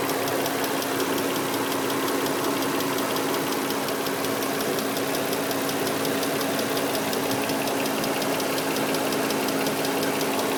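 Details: 2003 Nissan Murano idling with a light, fast, even tick throughout that recently started; fluids and filters recently renewed, cause unknown.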